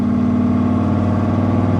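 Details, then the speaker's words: 1966 Corvette Stingray, 425 hp 427 big-block V8, revived after 15 years stored, idling through side pipes (possibly glass packs): deep, even, loping rumble, no knocks or misses; tach read 1,700 rpm just before; normal idle. "A friend of mine stopped me because that thing sounds like a speedboat with a V8 in it."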